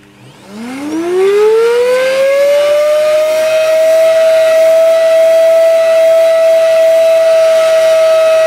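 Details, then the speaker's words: Hoover Dust Manager 2200 W bagless vacuum (DML 5224): the motor winds up in about two seconds to a piercing, siren-like steady howl with nothing loading it. It sounds unhealthy, with next to no suction. "and the problem with this machine it doesn't sound too hethy"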